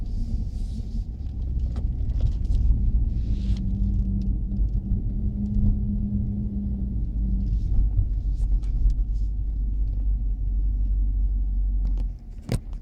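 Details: Chrysler 300 SRT Core rear end, recorded in-car during tight circles in a car park at about 15 km/h: low road rumble with faint rotating howl coming and going; owner asks whether it is the rear differential or something else.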